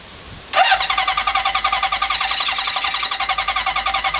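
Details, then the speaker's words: 1972 Honda CB750 K2 parts bike, 14,061 miles, straight pipes: abrupt start then fast, slightly uneven buzzing pulse; runs but starving for fuel. Owner suspects plugged petcock screen; unconfirmed. "It seems like it's not quite getting enough fuel. It does run, but it's starving for gas."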